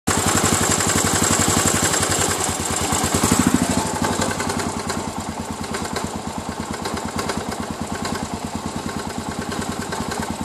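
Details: Suzuki DR 800 big single-cylinder motorcycle engine idling at night with a heavy, regular knock riding on each firing stroke; cause unknown.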